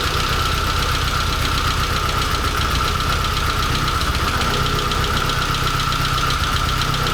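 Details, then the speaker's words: Porsche 924 S with swapped VW/Audi 1.8T AEB turbo engine; uneven lumpy idle with irregular stumbles and a rattly knock over a steady hum; running very rough, cause unknown. "i'm unbelievably happy that this is running rough as it is like a bag of spanners but it's really running"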